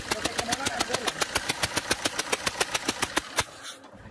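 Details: Fiat Multijet diesel at idle until shutdown. Sharp, evenly spaced ticking about three times a second: compression escaping past a leaking injector seal.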